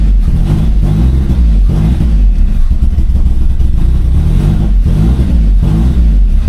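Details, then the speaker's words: Turbo Toyota Corolla after fuel pump work, no check engine lights, intake reattached (had been reading wrong when off): low, loud lumpy idle with periodic surges about every second; rough idle still settling. "idling finally, but And I still have no check engine lights. I'm gonna see if this idle clears up a little bit."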